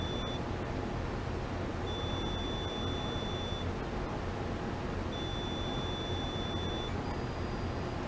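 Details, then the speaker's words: AO-91 amateur satellite deploy test: low beeps followed by one high beep marking when the transmit antenna should have deployed, but it didn't; suspected fault in an antenna burn resistor circuit. "there are some low beeps followed by one high beep at which point I'll say that and that's when the antenna the transmit antenna should have deployed but it didn't"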